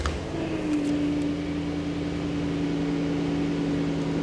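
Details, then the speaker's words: Jaguar XJ8 LWB (X308) V8 after the non-Denso bank 2 sensor was replaced and the engine light went out, no warning lights: quiet, steady low hum, no misses or knocks; silky smooth normal idle. "There we go. Absolutely no warning lights there. And as always, silky silky smooth on that V8."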